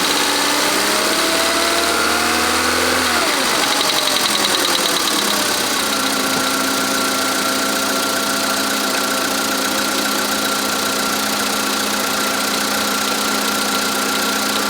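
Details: VW Polo Sedan (Russian-market) 2013: idle with a fairly regular light knock, about three to four per second; owner suspects engine knock, most noticeable when cold, source unconfirmed.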